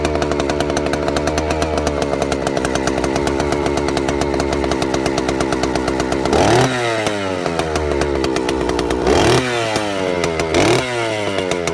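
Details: Vintage Stihl 041 Super, just over 70 cc, started cold: crisp, even two-stroke idle with sharp, clean rev-ups to full throttle and a smooth drop back; strong, healthy saw, normal running.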